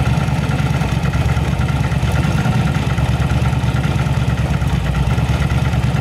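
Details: Yamaha V-Star 1100 Classic V-twin with carburetors, repaired for backfire and spark plug flooding, traced to a rotten pipe. Deep, loping idle holding steady with no misses or pops, both cylinders firing cleanly. Normal idle.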